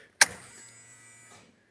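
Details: 1996 Jeep XJ 4.0L six at key-on after fitting a new battery, which fixed long crank, flickering check light and buzzing ASD relay: click, then faint steady hum about a second that cuts off cleanly; normal fuel pump prime.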